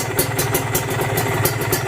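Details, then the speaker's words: Used Kawasaki Ninja two-stroke being checked before purchase, silencer covered: crisp, even idle popping with no knocks or rattles. The engine block is still good and tight; normal idle. "kita tutup Nah itu suara blok yang masih bagus yang masih bagus ya yang masih padat itu suaranya kayak gitu tadi ditutup aja slensernya"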